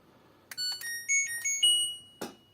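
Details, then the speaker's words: LG washing machine after control module repair (resistor replaced, corroded traces restored), originally beeping very quietly: crisp clear multi-note melody then short chirp; buzzer now loud and normal, then goes into an error. "О ну це вже вона впала в помилку тому що ну бачите все працює звук є"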